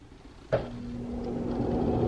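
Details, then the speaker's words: Bathroom exhaust fan after the dead motor was replaced with a new replacement motor, adjusted to spin freely. It kicks on and settles into a steady, even hum with no rattle or scrape. Normal running after repair. "Alright, so I made some adjustments to make sure that it would spin freely in there. So I got the new motor, spins freely."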